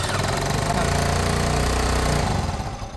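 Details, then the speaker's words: Peugeot Tweet 125cc scooter after new top end: steady single-cylinder putter suddenly dies when the ignition key is jiggled; worn ignition switch cuts the engine, dangerous if a bump kills it while riding. "ah so we do need to so it does because if you're driving along you hit a bump and it goes you lose your engine that's dangerous"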